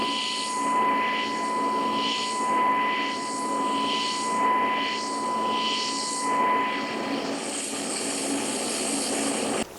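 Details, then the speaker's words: Everlast Typhoon welder, DC TIG with pulse frequency about 1000 Hz (999.9 Hz), fusing a lap joint; steady high thin whine under a smooth even crackle, sounding like AC though on DC, a very stable normal fast-pulse arc. "1000 HZ DC pulse so we're just running a little lap joint here not trying to do anything fancy just fusing it just kind of showing you what this pulse sounds and looks"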